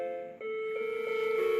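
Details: Macintosh Colour Classic after repair of severe battery-leak damage, analog board not yet recapped, first power-on: eerie sequence of chime notes instead of the startup tone; chime of death.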